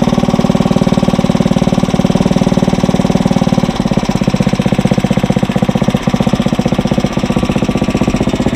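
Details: Briggs & Stratton 900 series single-cylinder engine running with the fuel valve shut off, being run dry: even, steady putter with no misses or knocks; sounds healthy.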